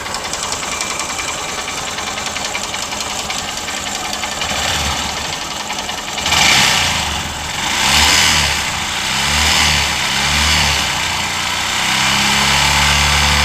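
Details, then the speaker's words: New Honda SP125 OBD2 motorcycle at about 2,752 km, just after its first service: a hissy ticking clatter at idle that persists through a few throttle blips; mechanical noise of unclear source. "और गाड़ी ज्यादा चला भी नहीं 2752 kilometre लगभग चला हुआ है और गाड़ी में इंजन में साउंड हो रहा है"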